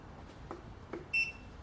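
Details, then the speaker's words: VEVOR 8kW diesel air heater in uninsulated 20x30 ft workshop, pump already primed; power switched on and unit lights up, single short high beep over quiet room noise; normal power-on signal before holding middle button 3 seconds to start. "power and she's lit up okay okay so now we press and hold the middle button of the three buttons for 3 seconds"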